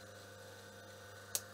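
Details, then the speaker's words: Myford lathe motor (Super 7 3-phase or ML7 1-phase, 4-pole, ~1425–1440 rpm, 50 Hz/230 V, resilient-mounted, oil-wicked plain bearings) running direct on mains: quiet steady low hum, one brief switch click, no rumble or scrape; healthy motor. "so this also needs replacement so switching on the motor here here it's quite silent"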